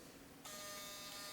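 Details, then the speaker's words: Used Canon L100 digital camera on NB-4L battery, power-on: thin buzzy whir starts abruptly and holds steady as lens extends, rougher than normal; noisy lens extension, very common, though autofocus and flash work. "Lens noise, very, very common."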